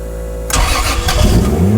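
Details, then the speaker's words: Toyota 2JZ swapped into a Mercedes, started again after two years of work, oil pressure confirmed: brief crank, then catches cleanly into a steady, even idle with no knocks or ticks; no leaks found; normal first start and idle. "did you hear how that thing sounds dude it's so cool it's so cool man I'm so stoked right now this motor sounds man"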